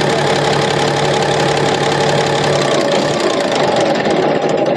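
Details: Komatsu SAA6D140E-5 diesel, first run after engine work including injector gasket replacement, valve cover off checking oil flow at rockers: steady even idle, open clattery valvetrain, no irregular knock; oil reaching top end, healthy.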